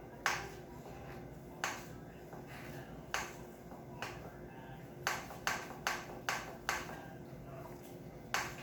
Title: Rockshox recon clicking noise